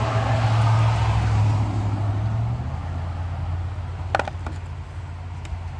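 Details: 1968 Dodge Sweptline pickup after refitting a loose spark plug wire and replacing a broken carburetor vacuum cap causing a vacuum leak and fast revving: steady, even low idle rumble with no misses, stumbles or hunting.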